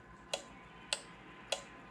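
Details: Five-pin relay on a relay tester: three crisp, evenly spaced clicks about 0.6 s apart with a green light, the relay switching cleanly and good.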